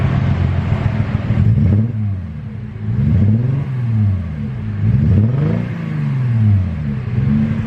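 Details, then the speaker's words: Mercedes-Benz C300 W204 automatic: rough, hunting idle, speed swinging every couple of seconds as if about to stall; cause unconfirmed. "the car feels like it's gonna stall like any second now every time you like you turn it on"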